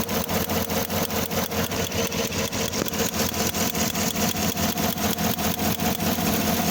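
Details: 2015 Chevrolet Tahoe 5.3L V8 at idle: a steady misfire stumble, about two and a half dips a second. Plugs are new, and the wires, coil, injector, connections and compression are good. The cause was a damaged ECM (engine control module).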